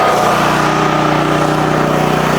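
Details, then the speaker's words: Portable generator feeding a home through a manual transfer switch, idling steady and even on its economy idle feature with no misses or knocks; the plug's light blinks because output is not at a perfect 60 Hz. Normal economy idle. "now let's give it a go and you hear that D that idle that's because this idle features on so this plug is telling you it's a little blinky right here it's telling you it's not at that perfect 60"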